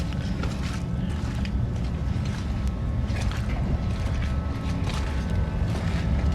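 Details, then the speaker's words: Donor truck, stock 221,000-mile Duramax diesel at idle: heavy, rough, uneven clatter over deep rumble; rail pressure reads 23,000 PSI at idle versus about 5,000 expected, owner believes it needs a fuel pressure regulator. "I believe that it needs a fuel pressure regulator. It's got really high rail pressure at idle. I'll start it up"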